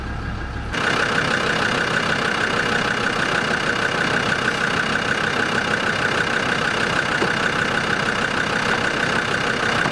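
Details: Land Rover Discovery 2 TD5 diesel just after an engine oil change, oil still slightly low: even idle clatter about three beats a second with no irregular knocks; sounds quieter after the change, normal idle.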